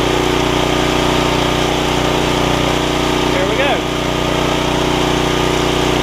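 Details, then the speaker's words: Snapper tiller, 5 hp Briggs, after fixing stuck valve, lubing pull rope bearings and replacing torn carb diaphragm: runs steady and buzzy with no surging or sputtering; normal running. "starts right up like that can't really beat an old tiller like that"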